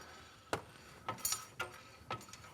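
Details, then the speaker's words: BMW Z3 rear wheel spun by hand during diff check: sharp scraping knock about twice a second, once per revolution, something hitting the corroded brake backplate; suspected cause of mysterious rear squeak, diff itself fine. "oh hello that's something hitting that back plate isn't it yeah that sounds"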